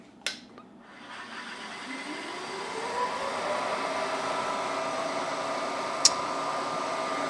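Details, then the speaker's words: Milling machine used while fitting TouchDRO to a PM-1228 lathe: spindle motor winds up through rising whine to a steady hum with dull rubbing undertone; brake left partly on, dragging. "let's lower us down a little bit this this break is on a little whoops wonder why I was making that noise"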